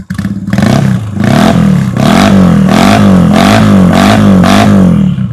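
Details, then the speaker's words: Yamaha Virago 250, original carb, original exhaust cut open: repeated throttle blips climb and drop cleanly with no stumble, misfire or smoke; engine healthy. Normal throttle response. "อ่าเบิ้ลไม่มีควันไหลไม่มีอะไรนะครับเครื่องดีแน่นอนนะครับคันนี้พร้อมใช้งานแล้วนะครับ"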